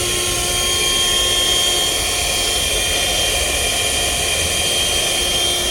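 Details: 2019 Jetta A/C not cooling and making noise: blower motor behind glovebox gives a constant high rough whir with hissy rattle and steady whine; said to need replacement.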